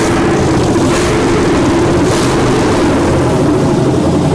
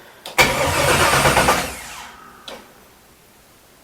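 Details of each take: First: 1967 Chevelle with an LS swap, electric injectors, first start: deep, steady V8 rumble holding an even idle for nine seconds with no misses or knocks; runs smoothly, though it shows a delay. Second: 1967 Chevelle with LS swap, first start attempt: the starter spins the engine briskly for about 1.5 seconds but it never fires, because there is no fuel and no fuel system fitted yet; crank, no start.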